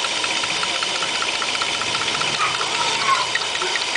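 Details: Opel Omega 2.5 V6 at idle, recorded through the open oil filler, with light, quick metallic ticking, barely audible with the cap on; mild crankcase smoke, no oil or water use; source unknown.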